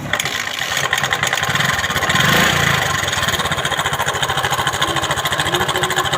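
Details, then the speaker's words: TVS XL 100 Heavy Duty moped before timing chain replacement. Loud, rough clattering rattle over a fast, uneven idle; the noise is very bad. Worn timing chain that needs replacing. "आवाज़ बहुत ज़्यादा है। Timing chain अभी replacement करना है इसमें।"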